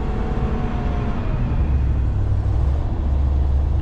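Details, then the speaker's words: 1987 Class A motorhome engine, cold start, warming up: deep, lumpy rumble with an uneven pulse as it labours to stay running; rough cold idle. "get it warm up and shut it off we'll finish getting ready come on stay running you little cold"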